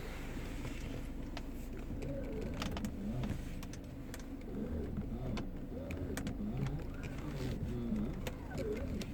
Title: Mercedes C180 steering making sqeaking whining noise